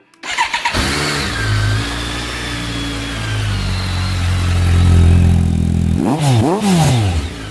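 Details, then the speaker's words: 2008 BMW K1200GT after fuel pump replacement, tank refilled: catches quickly after a short crank, settles into a steady smooth idle, then revs up cleanly twice; normal start and run. "Sounds like horsepower to me."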